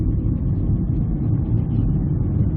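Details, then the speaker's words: 2001–2002 Ford Escape with a badly worn front wheel bearing: deep steady droning roar at cruising speed over road noise; side not yet identified, to be checked by swerving left and right. "We have a 2001, 2002 Ford Escape, and as you can hear, it has one heck of a wheel bearing noise. Now, it's in the front, we know that, but which side is it?"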